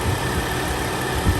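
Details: Lexus GS 300 with 115,000 miles idling steadily with an even low rumble, no stumble or chugging, after the sticking solenoid behind the stall-when-braking complaint was freed; varnish buildup, oil system cleaning suggested.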